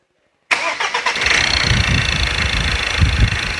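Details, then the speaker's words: 2.2 diesel engine after injector repair with new valve sets and nozzles and values reset: cranks, catches at once and settles into a steady, even idle clatter with no misfire. Normal start and idle. "อ่ะเครื่องยนต์ติดแล้วนะครับ"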